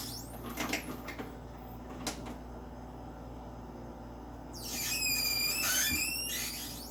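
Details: Personal Chiller Nugget Ice Maker, one day after purchase, quiet hum then a high-pitched wavering squeal for a couple of seconds while making ice.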